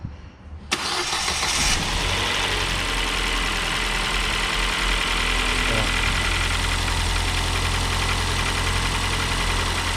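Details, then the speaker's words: 2014 Ford New Fiesta, 69,000 km, timing belt engine, cold start: steady idle with light fast ticking from the engine, mechanic suspects valves/tappets on the camshaft, unconfirmed, seems worse when warm; valve train ticking. "tem um barulho parece válvula sabe galera parece tuxo batendo comando é um barulhinho chato tá"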